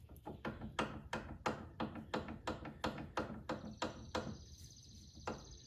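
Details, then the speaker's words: 2002 Chrysler PT Cruiser driver's side front inner tie rod rocked by hand with wheel off: sharp metallic clicking and knocking about three a second; worn inner ball joint, outer has slight play. "As I move the inner tie rod, you can hear it clicking and knocking sound."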